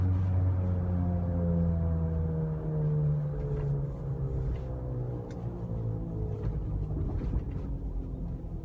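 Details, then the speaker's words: Mountaineer rear differential, recorded in-cab slowing from 55 mph toward a red light: steady whine dropping in pitch, fading to a low rumble; owner suspects bearing-induced differential noise, not confirmed. "I'm gonna go ahead and hop off here and just, you know, wanted you guys to hear that disgusting, whiny, grindy, bearing-induced noise. Hopefully it's bearing-induced."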